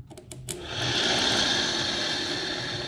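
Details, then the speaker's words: 2003 VW New Beetle 1.9L TDI ALH diesel, checking radiator fans after coolant work: clicks, then a smooth, steady airy whir spinning up to an even pitch; this fan's high speed works normally, though its low speed doesn't. "right, so that one's high speed works. That's what high speed should sound like."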